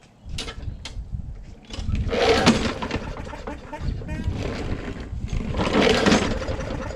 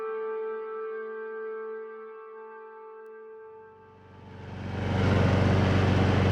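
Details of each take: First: Lawn mower bought not starting, choke bulb primed: two pull-starts spin it with a dry whirr but it never fires; kill switch grounds the ignition, so no spark; cranks but no start. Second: Lawn mower after fixing a broken part and sticking kill-switch cable that grounded the ignition: music, then the small engine catches and settles into a steady, even drone with low hum; normal running.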